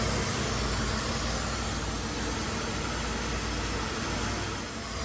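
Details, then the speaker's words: Mercedes W124 petrol at idle: airy hiss louder than ever before, audible from outside with filter installed and hood closed; owner suspects throttle body, not confirmed. "I strongly suspect the hissing noise is simply coming from the throttle body but I sure don't remember it ever being this loud before and it certainly isn't this loud on my red car"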